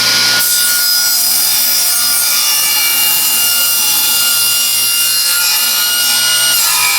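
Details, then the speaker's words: Free used table saw with rusty table and a newly fitted plug: steady high whine under a continuous even rasp while ripping wood; owner says it sounds different, cut fairly smooth but feels rougher as stock doesn't slide well on the rust. "It's still a fairly smooth cut, but it's a lot rougher feeling. probably not sliding too nice."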